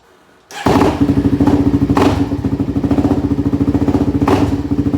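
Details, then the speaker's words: Two-stroke dirt bike, hit with a Terex the day before, started up: it settles into a fast thudding idle with a rough, clattery edge. Rider says it sounds weird; cause unknown. "for some reason it's kind of sounding weird my dad hit it with the terrex yesterday i don't know why it sounds like that but i don't know"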